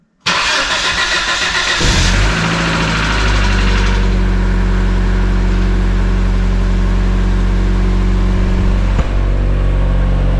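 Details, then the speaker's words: 1996 Mazda Miata jump-started after new lifters and NGK plug wires were fitted to fix a lifter tick. It cranks, catches and settles into a steady idle, with a brief early tick that quiets once oil arrives, which is normal. "so as you heard it start to tick a little bit off the bat which is what Miatas do but it quieted down when it got oil in it which uh that's what they're supposed to do"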